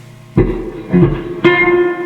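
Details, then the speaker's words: Fender Twin Reverb, reverb full, tank hooked up directly with phono leads: three strummed chords each ring into a smooth lingering tail; amp reverb circuitry confirmed working, so the original pan or its tatty leads are at fault. "oh okay so yeah reverb's working [Music] yep reverb is working"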